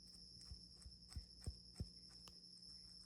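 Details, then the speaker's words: Wen 4208 drill press spindle bearing, removed and spun by hand: rough grating clicks about three times a second over a thin whine; gritty, worn bearing needing replacement. "really gritty."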